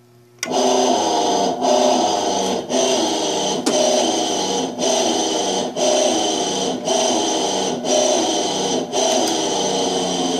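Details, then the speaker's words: Electrolux 12 kg washing machine with loud, rough whining drone from a worn motor bearing; drive belt also off, leak caused by a loose hose, motor bearing to be replaced. "a gente vai trocar e rolamento de motor que está fazendo barulho forte"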